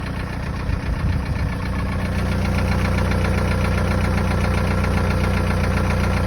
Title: 1.9 tdi 66kw 1z hot engine knocking